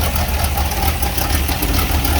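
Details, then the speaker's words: 1957 Bel Air with a 283 V8, freshly started, lumpy idle with a light puffing tick on each firing pulse; exhaust leak at the manifold near the distributor. "Oh yeah, it's got an exhaust leak on the manifold where the distributor hooked up."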